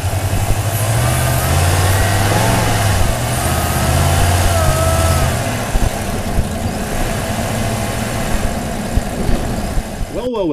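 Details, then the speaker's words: Toyota Tundra Platinum Pro supercharged, microphone hanging in the engine bay: thin high whistle wavering with revs over the engine drone, from the supercharger and airbox; supercharger whistle. "looks like my little uh microphone hanging in the engine bay worked and there is a heavy duty whistle coming out of that thing"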